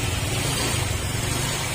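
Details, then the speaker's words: Honda Click 125 V3 scooter, fuel-injected: low, even putter at correctly set idle (not below 1,500 rpm), smooth with no misses or knocks; correct idle said to protect camshaft. "yung saktong saktong miner nian mga Sir yan tapos papansin niyo sa tunog ng makina smooth ang tunog yan smooth yung tunog niya yan"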